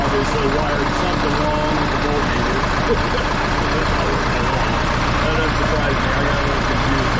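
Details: Case 188D diesel tractor with a rebuilt engine, first run after firing up, throttle worked by hand, still warming with no engine temperature yet and the oil pressure gauge not reading: a loud, even idle with a steady beat and no misses, knocks or hunting.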